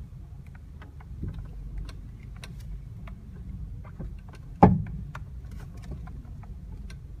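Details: 2009 Honda Civic 1.8 (FK2): sharp, heavy clunk from underneath the driver side front as the steering wheel turns, over a low engine rumble with light ticking; light metallic clunking also occurs when moving and turning at low speed.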